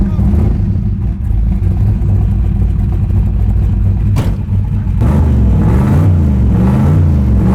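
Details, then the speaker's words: The Bonemaro, a carbureted street/strip car with a legit 10-second pass record: a deep, loping cammed idle that snaps up into clean revs and settles back evenly. It sounds rowdy but healthy; normal running. "Yeah. Thing sounds rowdy. Yeah, it does."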